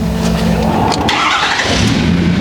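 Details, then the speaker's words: Ford 6.7L Powerstroke diesel with 250,000 miles, start after replacing the CP4 pump with a DCR pump: catches almost at once and settles into a steady, even idle, starting as fast as stock. "Starts up just as fast as your stock CB4. Starts up super good."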